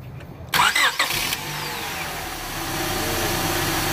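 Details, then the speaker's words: Car with a rough-running misfire complaint started with a vacuum gauge on the intake manifold: brief cranking, then a smooth even idle, vacuum steady around 20 inches. "now you notice that needle is around 20 inches of vacuum and that vacuum is steady"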